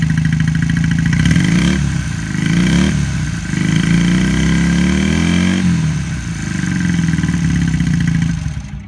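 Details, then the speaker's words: 1978 Honda CB400A Hawk Hondamatic, restored, 11,164 miles, just started: it catches quickly, blips and settles into a steady, even idle, rising and falling smoothly with the throttle; a healthy, happy motorcycle. "It's a happy motorcycle."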